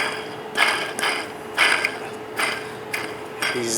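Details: Removed belt tensioner pulley spun by hand after a squeaky abnormal engine noise: dry, gritty rasping in bursts about once a second, rough bearing; replacement pulley turns very smooth.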